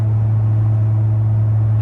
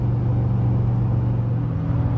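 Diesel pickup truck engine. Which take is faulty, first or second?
first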